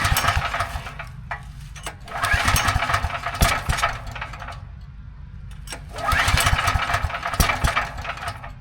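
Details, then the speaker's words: Briggs & Stratton 6,250 W gas generator, oil level checked OK: repeated recoil pulls spin the engine over in short bursts but it never fires; fouled spark plug stopping it starting. "Long story short, I could pull this for another 20 minutes and nothing's actually gonna happen. So it kind of turns over, but doesn't actually start."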